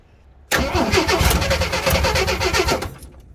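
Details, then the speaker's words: 1979 AMC Jeep J10, 258 inline-six, on freshly charged battery: cranks, fires unevenly on starting fluid for about two seconds then dies, showing spark but no fuel; filter empty, gap suspected between carburetor and intake. Fuel starvation. "So it's definitely a fuel issue. So let's pull off the fuel line here and see if any fuel comes out."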